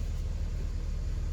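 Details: BMW E46 idling after replacing the secondary air pump check valve, fitted to clear a check engine light; the pump only runs on a cold start. Smooth, steady low hum with an even beat, no ticks, hiss or stumbles; normal idle.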